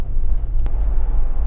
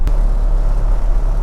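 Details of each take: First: Toyota Land Cruiser abandoned 8 years, after the driveline vibration fix, accelerating past 30 to 40 mph: a steady low road rumble with no rhythmic shudder or drone, so there is no vibration whatsoever and the driveline runs smooth. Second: Toyota Land Cruiser abandoned for 8 years, driving at about 50 mph: a severe steady low droning boom sits under the tyre roar, a driveline vibration.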